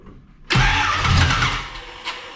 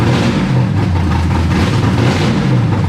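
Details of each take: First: Camaro after new battery and distributor cap, distributor being adjusted: engine catches with a sudden roar, then sags and stumbles within two seconds and won't settle; ignition timing still off, being dialed back. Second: Camaro after the distributor was dialed back and then given a little more advance to set ignition timing: catches and settles into a steady idle with a couple of clean throttle blips, even with no misfire or knock; running normally.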